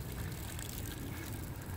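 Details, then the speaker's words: Karcher electric pressure washer with an intermittent motor noise: with the trigger released the motor keeps droning while water trickles, with no spray. The unloader seems not to be switching the motor off; owner suspects a dripping nozzle ring. "so that's what it's doing and when you turn it on it stays on"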